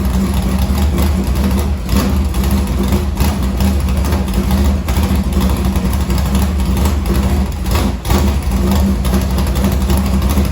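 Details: Morgan Machine-built V8 race motor (about 358), EQ heads, Edelbrock Victor Jr two-barrel intake, 85 carburetor, started after sitting a week and a half with fuel line unhooked: lumpy loud idle, quick clean throttle blips; healthy.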